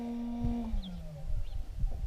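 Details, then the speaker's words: Headlight Experts LED headlight bulb in a 2012 Ram, with the headlights switched off: a faint cooling fan whir drops smoothly in pitch and fades within about a second; normal spool-down. "Now I'm going to shut the headlights off. Let's see if we can hear that spool down."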